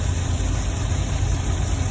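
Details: 2010 GMC Savana 1500 4.3 V6 with no-start/no-spark complaint after PCM replacement, scoping ignition module drivers: deep, even idle with a steady beat and no stumble or miss; running normally, fault not reproducing.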